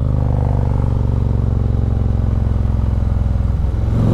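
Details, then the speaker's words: Harley-Davidson Road King on its first ride after an air-ride fix: even, lumpy V-twin firing with crisp exhaust pops as revs drop on downshifts. Normal engine braking, healthy-sounding engine. "she sounds good especially on them downshifts listen to that"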